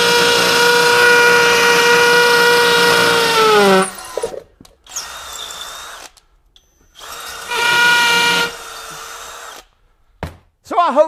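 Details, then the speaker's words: Kobalt KHD124 24V brushless 1/2" hammer drill in hammer mode, drilling 3/8" holes in cinder block with a masonry bit: a steady high motor whine with even, fast hammering in two bursts. It drills normally, with no trouble. "the hammer drill mode had no trouble you know driving 3 8 inch holes in in the cinder block here"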